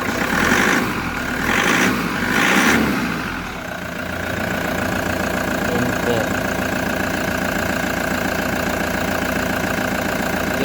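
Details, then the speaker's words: Toyota HiAce idling steadily after alternator and drive belt replaced with new; engine settles into a smooth even hum, battery warning light goes off, charging reads normal (about 1095 shown): normal idle after repair. "charging normal na mga boss. So okay na, goods na."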